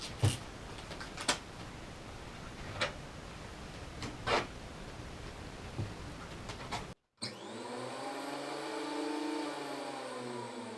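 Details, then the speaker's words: Makita 2012NB planer thicknesser after a blade change following a year of heavy use: quick on/off safety test, after some clicks the motor spins up with a smooth rising hum that holds steady; a normal, clean run-up. "just turn it on Let it spin up so I'm just going to quickly spin it up and uh check everything I say okay it's a very noisy machine so I always wear a protection"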